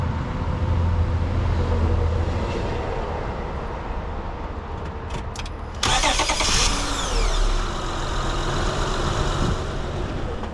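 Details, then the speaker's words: 2005 Honda Odyssey after replacing a starter that only clicked: a brief crank catches quickly and settles into a steady, even idle with no grinding or whirring, a healthy start. "got him all right she runs that's great that's one uh one item off my list"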